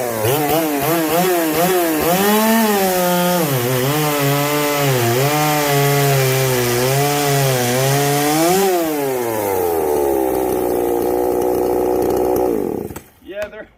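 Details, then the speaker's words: Chainsaw called the 330, stock except for an opened-up muffler (muffler mod), cutting rotten pine: a strong, crisp full-throttle howl that dips slightly under load, recovers quickly, then settles. A healthy saw running normally under cutting load. "that's pretty dried out and disintegrating but I mean it can't be denied that the 330 runs good it is a they're great sauce really"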